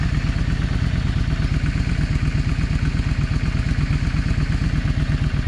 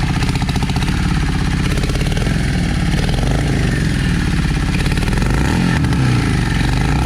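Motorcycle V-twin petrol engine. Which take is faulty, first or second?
second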